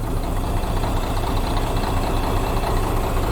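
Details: Russian diesel truck with a knock: low, slightly lumpy idle with the sharp knock gone once the cylinder-one injection pump pipe is loosened; fault traced to cylinder one injector or its injection pump section.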